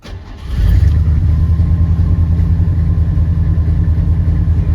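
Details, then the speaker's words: 1976 Ford F150 Ranger XLT V8, stone cold, gas pumped once to set choke: brief crank, catches at once, settles into strong steady deep rumble; healthy cold start. "And she starts right up. Admittedly, if it sits for a few weeks at a time, you'll have to crank it just a little bit more."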